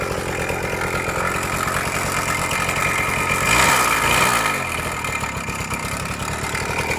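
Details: Suzuki Max 100 two-stroke motorcycle, cold start after sitting about 5 years during restoration, only carburettor cleaned and wiring reconnected: ragged uneven idle with loose rattle and brief rev blip; abnormal engine noise, engine not 100% OK, cause not yet found.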